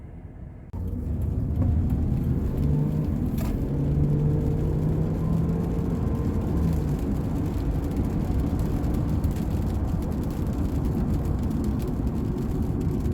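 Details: 2010 Subaru Outback 3.6 L after replacing the rear right hub assembly/wheel bearing, low-speed road test: low steady tyre and road rumble, the humming/whining largely gone, perhaps a tiny bit from the still-noisy left rear; normal road noise.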